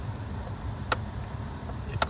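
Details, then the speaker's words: 1999 Subaru Legacy HVAC blend door actuator: wiggling its wire harness makes the motor turn with repeated clicking as the door opens further; two sharp clicks over a low hum, suggesting an electrical problem; door won't move to lower. "You can see it opening further and further, and you hear it clicking. The motor's turning."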